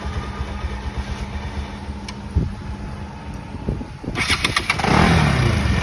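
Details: Bajaj Pulsar NS 200 motorcycle, final check after an engine noise problem: single pops at an even idle, then revs up smoothly with no rattle or knock; normal engine running.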